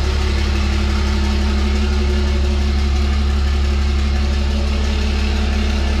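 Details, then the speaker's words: 1000hp Cummins 6.7 diesel drag truck build idling after first start on a new fuel cell and AirDog pump; deep heavy steady rumble, no misses or knocks; no leaks at return fittings, healthy idle. "good deal man she fired right up a lot quicker than I expected"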